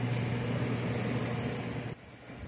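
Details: Plug-and-play hot tub single pump that only hummed, after spinning the stuck shaft by hand: steady low motor hum running freely then dropping off; pump running normally.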